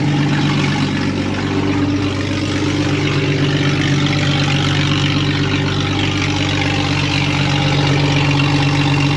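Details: Cheap Jeep with an automatic transmission, started at idle: a deep, loud, rough rumble with a raw, unmuffled bark. The exhaust sounds far too loud; a missing or broken muffler is suspected, not confirmed.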